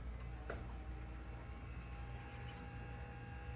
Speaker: she lights up you'll hear a little humming inside that's just the motor setting the resistance